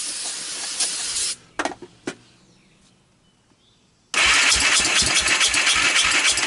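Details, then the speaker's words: 1998 Honda TRX300EX, previous-owner rebuild, cleaned carb, valves adjusted, portable CDI box: short burst then steady cranking about four pulses a second without catching; owner thinks it completely flooded, running very rich. "yeah the gas is on I think I think it completely flooded out"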